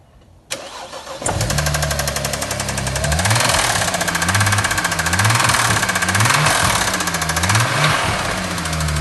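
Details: BMW E93 335i with N54 engine, started and revved lightly: cranks and catches, then runs with a loud, harsh metallic rattle through light revs; owner suspects a big-end (connecting rod) bearing, unconfirmed.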